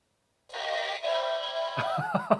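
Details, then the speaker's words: Sega Game Gear after speaker check and repair: clean bright electronic jingle from the small speaker, no crackle, buzz or dropouts; sound now working, unit fixed. "that sounds beautiful that is awesome and we now have sound on this Sega Game Gear so this one is totally fixed"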